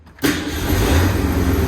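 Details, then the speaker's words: 1965 Ford Mustang coupe, originally six-cylinder 3-speed, V8-swapped (owner suspects 289, possibly 302), true cold start after a week sitting with battery just hooked up: quick crank, fires immediately, settles into steady even low rumble, smells of old gas; normal cold start. "look at that fired up immid immediately smells like old gas yeah it doesn't sound too bad back here either"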